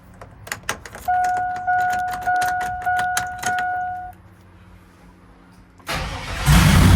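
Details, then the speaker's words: Twin-turbo Silverado V8 with new headers, exhaust and 1000cc injectors, first startup after build: quick cranking pulses under a chime, then catches and rises to a clean strong roar; healthy start. "holy that sounds so good and it's not even that crazy like all also you just heard that first startup"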